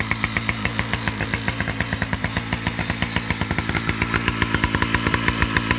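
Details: Husqvarna 2100 CD 100cc two-stroke chainsaw, 32-inch bar: fast slightly uneven burble about three to four pulses a second; idle a bit high so chain keeps moving at idle, mixture a little rich.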